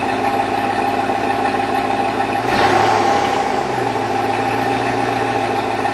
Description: 2002 Chevrolet Avalanche. Piston slap is evident upon cold start.